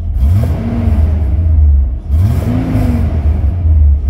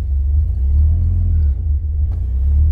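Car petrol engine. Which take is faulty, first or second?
second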